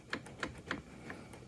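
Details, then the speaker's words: 2006 Ski-Doo REV GSX 500SS snowmobile, engine off, handlebars at full steering lock: three light sharp clicks as the throttle cable is pulled tight; stretched cable, rerouting it over the aluminum piece for more slack is expected to fix it. "I don't hear it that means the throttle cable is being stretched Loop it over that it should fix it"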